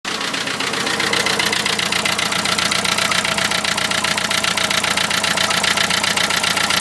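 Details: Renault Trafic van, 2.0 dCi M9R diesel at idle: sharp, very regular knock about twice a second over hard clatter; cause unknown, possibly an injector.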